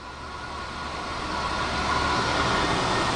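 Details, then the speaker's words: 270-S spin rinse dryer, final seconds of a short process before rotor stop positioner sets home position and door releases: steady high whir with even rapid pulse, swelling gently; normal smooth spin-down. "About 5 seconds left. Okay. There's the rotor stop positioner. There you go. You probably heard the door release."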